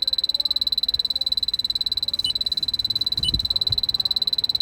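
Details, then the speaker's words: 2005 Toyota Prius that came in with 16 PSI vapor-only refrigerant, final AC evaporator leak test at dash vent after 20 minutes soaking, blower briefly pulsed: detector's shrill steady ticking near four per second never speeds up; no detectable leak under static conditions. "So under these static conditions, there's no detectable leak."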